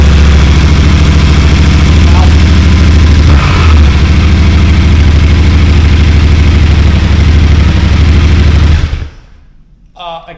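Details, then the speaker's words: Yamaha T7 after swapping in a low-mileage MT-07 engine (original overheated after coolant loss), first start: fires within half a crank turn, settles into even steady twin thump with no knocks or misses, then shuts off cleanly. "can't believe how quick that started that wasn't even a full crank over that was like half a turn and it boom fired"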